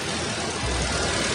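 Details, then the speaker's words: 2014 Nissan Almera, ex-taxi, 1500cc petrol engine shared with the Nissan March, oil change due: catches and settles into a quiet, smooth, even idle with no knocks or rattles, smoother than a Vios Limo; normal start and idle. "Soalnya lebih halus daripada suaranya Limo saya tahu apakah karena Diamond kondisinya bagus banget atau bagaimana"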